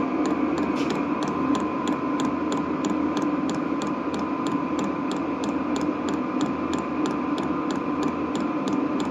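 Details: Vevor diesel heater (8 kW, 40 W electrical) running on thick used fryer oil: crisp, evenly spaced dosing pump ticks about three a second over a steady blower hum; pump pulsing normally.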